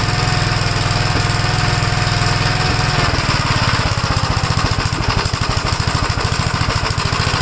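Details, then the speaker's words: 1956 Gravely L, cold engine, with vacuum leaks already checked. It starts on the first pull but runs rough with fast, stumbling, uneven single-cylinder thumping. The cause is unknown, possibly inside the carburetor; the owner plans to try the cast-iron carburetor. "we did uh check for vacuum leaks and stuff you can uh hear that it's not running right at all but it starts on the first pole when the engine's called"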